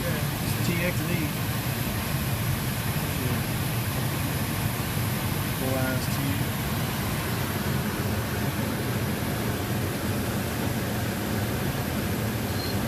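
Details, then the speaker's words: R-410A home AC system, 82°F inside and 84°F outside: steady compressor drone with no condenser fan; failed fan run capacitor, replaced, plus filter changed and 6.7 lb refrigerant added. "okay guys this may explain why we want cool you hear the compressor droning fans not run"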